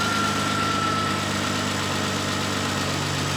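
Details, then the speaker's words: Renault 25 V6 Turbo after ECU repair, cold: steady, even idle with a smooth low drone and no stumbling or hunting; idle control valve now working, whereas before it stumbled when cold and couldn't hold idle without the valve disconnected. "this is definitely a controlled idle I can hear it change it definitely could not stay at idle before without this valve being cut off and the hose uh clammed onto it"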